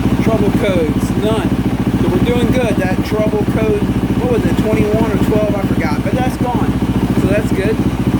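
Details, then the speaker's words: 2024 Yamaha YZ450F single-cylinder warming at idle after overheating repair (melted water spout); 13 volts, water temperature 64°C rising to 75°C. Steady, smooth idle about 3.5 beats a second, no misses; healthy. "uh let's fire her up and let her just get nice and warm going sit here and let her warm up on her own I'll be right back"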